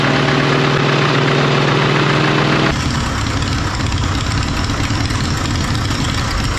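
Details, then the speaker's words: 1939 Caterpillar D4 D4400 diesel idling after its injectors were serviced and refitted: a deep, even idle with a steady low thump and only an occasional small pop. One injector has a slight seep still to fix, and the wet stacking is virtually gone. "so it sounds good it's got a little pop I got a little bit of a seep on one injector I need to fix up no big deal"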